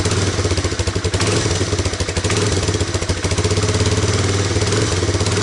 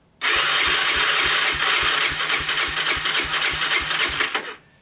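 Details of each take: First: Honda Big Red ATC250ES after carb and intake cleaning, fresh stabilized fuel with Sea Foam and a charged battery; started with choke on, steady, even single-cylinder putter at a low idle, set slightly low and might stall, with no misses or knocks. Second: Honda Big Red ATC250ES single cranking steadily, about three and a half pulses a second, never firing on choke; fires on starting fluid, so spark present; fuel starvation from brown sticky gum in carburettor and intake, fixed by cleaning.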